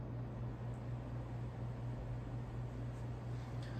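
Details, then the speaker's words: Regency Cabana ceiling fan on high, drawing 0.36 A, 44.4 W; steady low motor hum with faint slow wobble about twice a second, attributed to unbalanced plastic blades and a misaligned spinner motor. "But yeah, so with the unbalanced plastic blades and the spinner motor that isn't perfectly aligned, it just has flaws, but it's not a bad fan."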